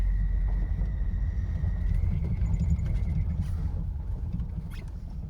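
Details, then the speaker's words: 2002 Nissan Frontier just after EGR pathway cleaning for P0300/P0302 misfire codes: engine running with a thin, steady high squeal from a loose drive belt slipping on its pulleys that needs tightening. "I've got to get that bell tightened up. That squeaking's driving me crazy."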